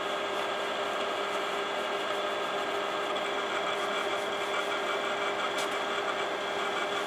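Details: Imation LS-120 SuperDisk drive (one of seven bought used): even mechanical whir with soft rasping chatter as the head moves while writing; head operation sounds different, owner suspects the alignment/track-finding isn't working properly; written data then shows corrupted.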